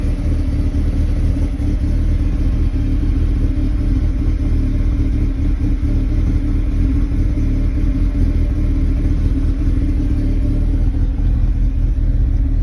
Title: 01 NB MX5 Cold start rough idle, idle droop was stalling at times while driving coming to a stop